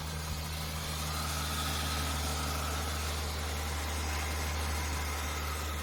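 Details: Ford EL Falcon Futura, abandoned for years, started after repairs with water instead of coolant, one small hard-line leak tightened: steady low idle with a smooth even hum, no knocks or misses; engine sounds healthy.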